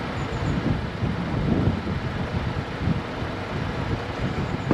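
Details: Crash-damaged Copart salvage car on jump leads: starter churns steadily but the engine never fires, though it nearly caught. A crash pyro fuse is suspected. Crank-no-start, cause unconfirmed.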